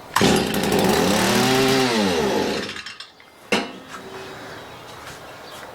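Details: Stihl MM56/MM65 tiller two-stroke, bought used, worsening over three years: revs, sags and dies within three seconds, then one sharp bang; runs only on choke, carburetor or spark arrester suspected.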